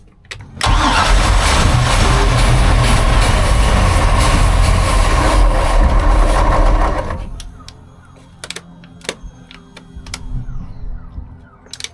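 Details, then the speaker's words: 1978 Sea Ray 24 ft with MerCruiser 383 Mag Stroker, bad tank gas and a carburetor needing replacement, hand-fed fuel: cranks, catches and runs rough about six seconds, then dies when poured fuel runs out; fuel starvation. "all right so now I'm just kind of basically Force feeding it with gas to make it run hopefully it primes up the fuel pump and does it by itself it was idling a little bit by itself so we'll see here"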